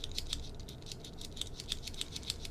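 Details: Sony AIBO ERS-210 tail block, just cleaned and lubricated after the dirty gears had made the tail jitter and jam, gives light, quick, even gear ticking as the tail is swung by hand, with no catching; gears run smoothly.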